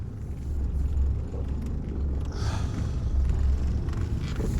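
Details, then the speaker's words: Mitsubishi Triton MN after fitting a new pair of front CV shafts, driving slowly in low range: steady low rumble, no clicking at all, where it previously clicked constantly, especially when steering; no CV joint clicking. "I'm going to drive it again. No more noise. Not a single clicking noise. I cannot believe it."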